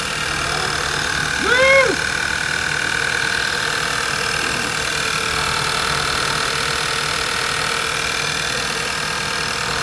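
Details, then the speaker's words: VW GTI project car just after its first start since purchase, before warm-up to operating temperature. A loud, steady idle with an even, unwavering drone and no knocking or misfire. The engine is running smoothly. "and quiet [Music] all right it's up and running awesome"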